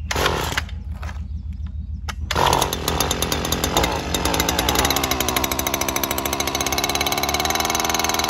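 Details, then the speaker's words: Stihl FS 94R string trimmer, first thing in the morning after a tune-up, which owner hoped would fix poor running and shutting off: quiet start, then uneven surging and sagging; hard starting and rough running, carburetor needing adjustment. "as you just saw there in the video it is having a rough time starting"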